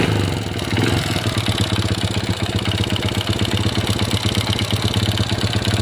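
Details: Honda Supra Pit New 4-stroke motorcycle, made in the 2000s, idling after timing chain replacement, fresh oil and the cover refitted. A steady quick idle beat with a light even mechanical rattle and no chain slap. The chain noise is gone; the mechanic suspects worn piston and crankshaft bearings.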